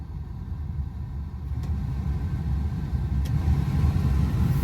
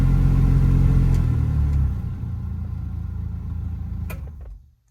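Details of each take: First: 1986 Toyota Pickup idling, heater blower on high after cleaning debris from the squirrel cage: steady blowing and low rumble, the earlier weird noises that rose with fan speed now gone. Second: 1986 Toyota Pickup heater blower fan: a low drone with a rhythmic wobble of about four pulses a second that gets worse at higher fan speeds. It comes from debris in the squirrel cage, and cleaning it out ended the noise.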